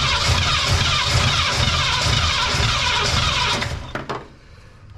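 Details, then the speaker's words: Cadillac "Lil Debby" with carb, new fuel pump, line blown out to the tank: starter cranks about three turns a second without catching, then stops; no fuel reaching the engine, possible tank issue suspected. "Well, we're still not getting any fuel yet. We may have an issue in the tank also."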